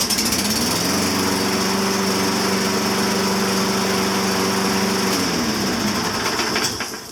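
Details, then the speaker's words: Toro mower engine that had sat a long time, after its carburetor was cleaned and a blocked main jet cleared and oil topped up: it catches and holds a steady, even buzz, then winds down smoothly; running healthy. "There you have it. Just, yeah, something was blogging the main jet on the carburetor. That was it."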